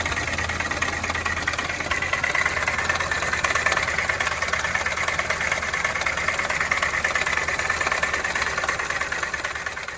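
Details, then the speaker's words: 2019 Winnebago View on a Mercedes Sprinter chassis, diesel, while driving: a hard, regular rap about three times a second, like a rod knock, traced to the seized, oil-starved AC compressor rather than the engine. "And we drive another mile, and this thing is just rapping so bad, it sounds like we're going to throw a rod right through the side of the engine."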